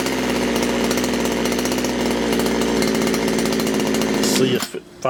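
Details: Poulan Wood Shark chainsaw after leaning the low jet slightly: holds a high, racing idle, then stumbles and dies; floods again, sticky needle and seat suspected, not confirmed.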